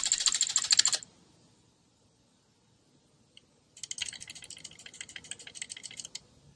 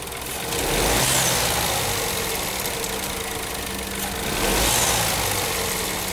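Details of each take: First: Renault/Dacia TCe 1.0 (H4D) turbo at the rear of the engine: quick bursts of light, tinny metallic clicking as the wastegate rod moves rapidly, caused by excessive play in the rod shaft of the original turbo; heard at startup and on deceleration. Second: Renault/Dacia TCe 1.0 (H4D) engine after injection ECU reprogramming for the turbo wastegate rod rattle on deceleration: steady, even idle with a soft airy hiss on top, and the metallic ratcheting is almost gone.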